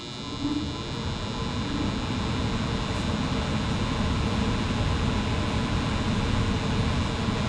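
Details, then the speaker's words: Home HVAC heater unit at start-up: a steady coarse electrical buzz with a low hum under it, quieter than usual. Owner suspects the blower fan's start capacitor or the contactor. "So, I don't know if you can hear that, but there is just a horrible buzzing sound. And it's actually much quieter than it usually is here."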